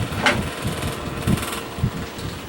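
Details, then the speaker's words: Old Bersted electric fan running without oscillation: rough, uneven rumble with irregular thumps from motor bearings never cleaned or lubricated; stuck flathead set screw prevents blade removal for servicing. "the sound of bearings that haven't been cleaned and lubricated in forever and i just can't i can't get the blade off because the set screw is stuck tighter than"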